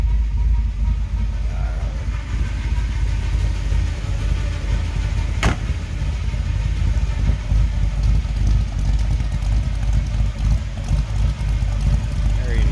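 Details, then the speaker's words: 1955 Chevrolet 210 wagon street rod with a big-block V8, HEI ignition, headers, Edelbrock carb and Muncie four-speed in neutral: deep, loping rumble at steady idle. No knocks or ticks; very healthy sounding. "rumble coming out of that big block very healthy sounding"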